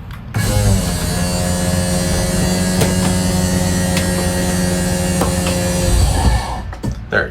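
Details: 2022 Forest River Cherokee Alpha Wolf 26DBH-L travel trailer slide-out. A steady electric motor drone holds an even pitch for about six seconds, then the power dies off as the slide reaches full extension, which is normal.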